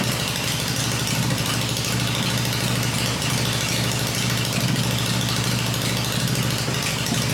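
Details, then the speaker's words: Freshly built Harley Evo engine on test stand with points ignition, exhaust pipes covered: steady loping V-twin idle, even beat, no knocks or rattles; engine runs smooth, normal idle. "but it's fired up it's running the engine's smooth I cover the exhaust pipes up and that way I can hear everything in the engine working without listening to the exhaust this motor sounds really good"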